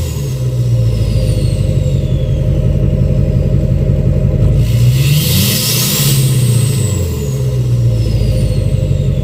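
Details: 2006 Chevy Silverado LBZ Duramax diesel, revved in neutral with new 5-inch straight pipe, flow-through muffler and DSP5 tune; rumble climbs each rev with thin rising whistle that falls away; normal revving with turbo spool.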